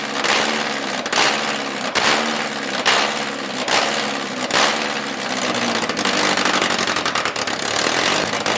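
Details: MG Midget with swapped engine, first start after completing the fuel system: surges in uneven bursts about once a second and can't hold a steady idle; hunting, struggling to stay running, dies without assistance.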